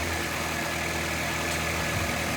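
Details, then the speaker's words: 1988 GMC S15 pickup, first start after sitting for years: smooth, even low rumble at one steady pitch with no misses or knocks; healthy idle. "I don't know how long this has been sitting, but she runs great."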